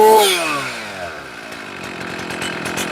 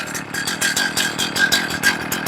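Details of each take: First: Chainsaw after leaning the low-speed screw further, idle stabilized at 2,800–2,900 rpm. The throttle-response check snaps cleanly from idle to a high steady scream without bogging; carburettor settings are about right. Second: Warmed-up chainsaw that had been stalling, idle checked on a tachometer at 2,200–2,500 rpm. The buzzy two-stroke idle pulses unevenly and sags as if about to die, so idle is too low. Next step is leaning the low-speed screw in.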